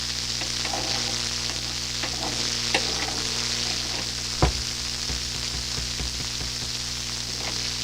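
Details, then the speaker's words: Hammarlund SP-600 communications receiver, which worked the day before, tuned to the broadcast and lowest bands. Only a steady hiss with faint crackles and a low hum, no station. The local oscillator is suspected of not oscillating, not confirmed. "Sounds like the local oscillator is not oscillating. That's what it seems like to me"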